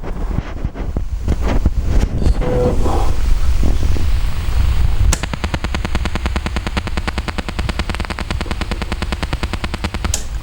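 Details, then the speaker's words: Sansui AU-9900 amplifier (1975-77) after recap and transistor replacement: rapid sharp pops and crackles, about three a second, over faint hiss, shot noise from preamp/tone-board transistors that worsened over weeks; fixed by replacing transistors, e.g. 2SA798 with KSA992. "And then suddenly I could hear this kind of noise starting to build up. At the beginning, it was faded. When you play music, you could hardly hear it."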